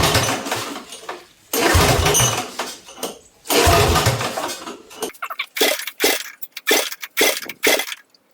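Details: Briggs & Stratton 16 hp 479cc Vanguard V-twin for a go-kart swap, straight-piped with muffler cut off, before carburetor cleaning: repeated loud cranking with ragged uneven firing that never catches; dirty carburetor prevents starting.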